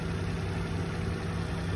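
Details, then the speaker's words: 2023 Mitsubishi Mirage, just over 33,000 miles on the odometer: very clean, quiet small petrol engine, low smooth even hum with no ticking or knocking; normal idle. "Has the key to it, showing 33, just over 33,000 on the odometer. Very clean, force quiet engine on the Mitsubishi."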